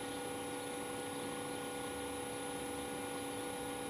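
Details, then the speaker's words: Carrier Greenspeed 3-ton variable-speed heat pump in cooling mode, compressor turned down to about 1848 RPM, near its lowest speed: soft, steady tones over a gentle hiss with no pulsing or rattles, the compressor barely audible; normal low-speed running. "it think it's quite down to its lowest RPM yet when it gets to the lowest RPM you can hardly hear the compressor"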